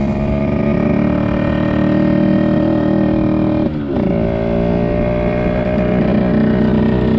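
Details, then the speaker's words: 1974 Yamaha RD60 two-stroke, first ride after 8+ years stored: flat buzzy drone drops on a shift then tops out early, around 5000 rpm instead of 10–11,000; lacking power at high revs, carburetor issue suspected, carb cleaning planned next. "oh so i can honestly say that was probably the slowest motorcycle ride i have ever been on so it doesn't sound like sounds like carburetor issue the power band isn't fully there i mean it's only grown up to about 5000 rpms which these ones should hit 10 11 000"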